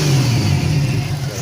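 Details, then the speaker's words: Turbo Venture van started after months: rough, lumpy engine note on a brief rev from a dead miss on cylinder 5, no injector pulse; fixed by running a new wire from PCM pin 30 to the injector. "a dead Miss on number five [Music] no injector pulse see if I can figure it out"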